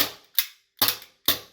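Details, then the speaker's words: APS CO2 pistol, first magazine fired: three sharp thin, soft cracks with quick mechanical clatter; weak gas output, magazine valve likely needs backing out about a quarter turn so the hammer strikes firmer. "okay so it's definitely on the weak side but that should be quite simple to adjust"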